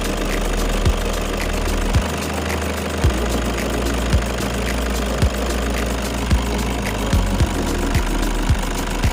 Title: Toyota Hi Ace Engine Knocking ~ @Tapscatvlogs